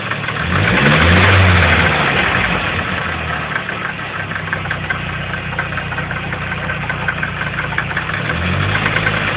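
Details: Nissan CA18DET engine with a regular knocking pulse of roughly three a second under the idle that follows the revs; possible engine knock, cause unclear, owner seeking diagnosis.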